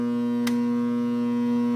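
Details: GE AJA12DFV4 air conditioner made in 1997, plugged in with the dial off: steady loud mains hum with even overtones and a brief click, eventually tripping the circuit; cause unknown.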